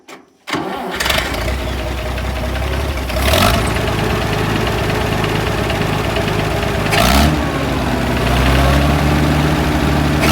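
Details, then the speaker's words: International 656 tractor, first start after carburetor cleaned with brushes and cleaner, float holding: starts first try but idles rough and uneven, stumbling now and then; owner may fit a carburetor rebuild kit if it doesn't clear. "So there is a little bit of a stumbling issue. Maybe it'll clear itself up, maybe not."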